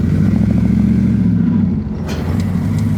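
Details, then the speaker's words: LS V8-swapped Chevy S10 shifted into gear: the rumble sags and hesitates briefly as throttle opens, then recovers; owner notes the IAC valve has been acting up, replacement awaited, so the cause is suspected, not confirmed. "Now I will say, if you guys notice, it sounds like it's hesitating for a second when I, give it some gas."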